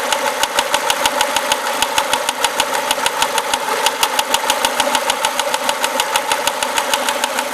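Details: Renault Clio RS engine: sharp, even ticking about three times a second rides over a steady idle, with little low rumble; an engine tick, cause unknown.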